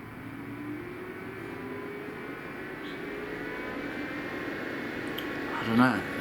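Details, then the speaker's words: EcoFlow River 2 portable power station while charging: steady fan whir climbing in pitch; loud cooling fan. "this is plugged into the 12 volt socket fan now is going harder than it was when it was plugged into 240."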